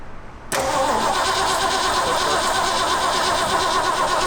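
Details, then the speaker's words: Old Ford Bronco being started: starter churns loosely and unevenly, about three turns a second, without catching; slow cranking, suspected insufficient cranking power, not confirmed. "I think we're gonna need more power, turning power than that."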